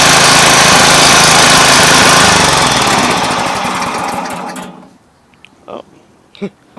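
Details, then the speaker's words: Yard Machine high-wheel string trimmer with Tecumseh engine, no clutch, so the head spins whenever the engine runs; steady high-speed buzz, then the throttle drops and it winds down to a stop, smooth throughout; normal running. "the only thing about this one is uh it doesn't have a clutch so while uh so the little the strings spin at uh the head rather spins at all times while the engine's running"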